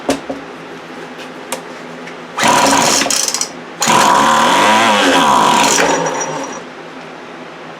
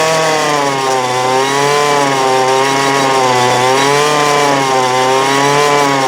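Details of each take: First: 2008 Poulan Pro PP25E 25cc two-stroke trimmer, abused, with misrouted fuel lines and a clogged carb screen: it bursts to high revs with a wavering howl over the buzz; something internal is making noise, cause unknown. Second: 2008 Poulan Pro PP25E 25cc straight-shaft trimmer, abused, with misrouted fuel lines and a clogged carb screen, running again: small two-stroke holds a steady high buzz with pitch hunting slightly, smoking as it burns off garbage; still needs carb adjustment.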